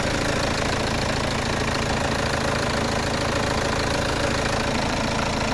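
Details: Peugeot 307 2.0 HDi diesel at idle after fault codes P1112 and P0204 were fixed by replacing the TDC sensor and the diesel fuel filter: steady, even clatter with no misses, stumbles or leaks; runs much better than before.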